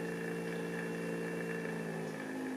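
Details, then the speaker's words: Knockoff Pierburg BMW electric water pump, supply lowered from 12 V to about 9 V, PWM duty cycle turned down: steady hum with clear whine sliding lower as speed drops; smooth variable speed achieved. "And now we have variable speed, which is what I was looking for."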